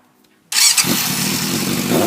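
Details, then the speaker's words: Yamaha FZS600 Fazer on its stand: quick start and blip, then an even, steady idle with no misses; carbs need cleaning but aren't the cause of its ignition-switch wiring cut-out fault. "the carbs do need cleaning admittedly that's not what the issue is you hear me over that noise anyway it sits and idles absolutely fine"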